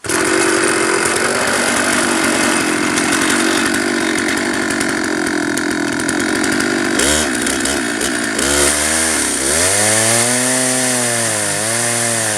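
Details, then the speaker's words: Stihl chainsaw on an Alaskan mill fed by a dual-pulley winch, ripping 3-inch slabs from a 28-inch oak log with a 10-degree ripping chain: loud drone swooping down and back up as uneven winch cranking bogs the motor under heavy load. "So you're going to hear the RPMs of the motor go up and down."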